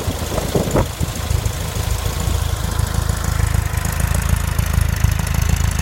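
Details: VW Type 4 engine at warm idle: random knocking a couple of times a second over a low rumble, gone above idle, caused by a worn cam thrust bearing and fixed by replacing it.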